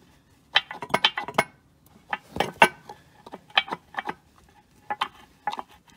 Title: ロアアームボールジョイント異音